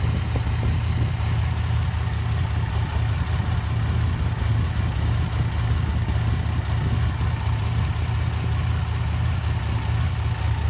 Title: Light #4 misfire